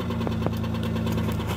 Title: 2001 Chrysler Sebring DOHC V6 with Bad Rod Bearing